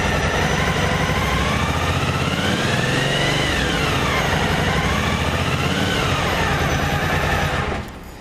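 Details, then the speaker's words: Yamaha T-Max after sitting several days with a dead battery, charging at 15.1 V around 2,000–3,000 rpm: high wavering whistle over the steady engine, the fuel pump whining. "E o barulho, olha aí, da bomba. Olha como assovia."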